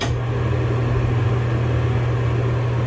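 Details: Bathroom exhaust fan after cleaning dust from the fan and housing: even, steady low hum with no rattle or clanging.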